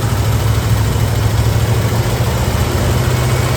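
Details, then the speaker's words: 1966 Ford Bronco U13, first start with new unadjusted carburetor, new exhaust, temporary gas tank, choke fully on: heavy rough low idle rumble with constant vibrating rattle; runs but shakes. "chokes all the way on and they're rattling a lot but it's running just a little bit"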